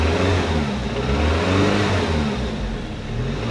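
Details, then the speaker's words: 1988 Saab 900 Turbo, which wouldn't start until a Hall sensor replacement, now running with the mass airflow sensor disconnected and the check engine light on: it revs up and down cleanly without stumbling, like a normal car. "But now I got my check engine light on, but she revs like a normal car."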